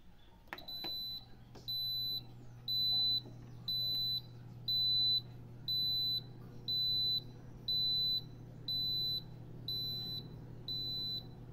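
A high electronic beep repeats about once a second over a low, steady fan hum from an air cooler.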